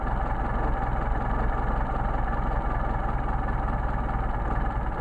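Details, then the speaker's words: Mercedes 190SL on rebuilt matched Solex carburetors #62468/62474: turning the idle mixture screw in leans it, idle drops and gets rougher, steady but lumpy uneven beat; backing out smooths it. "drop off tile gets rougher back it out smooth out see the idol judge degrading into the engine running rough"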